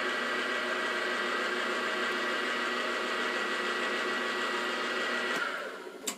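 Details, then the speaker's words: New Grizzly G0755 mill/drill spindle, bearings run in the night before for about an hour and a half up to top speed, run with dial indicator on the taper: steady motor hum, smooth high whir, no knocks or grinding, clean spin-down; normal spindle. "we're going to run it again for you just so you've got an indication because this was running really good"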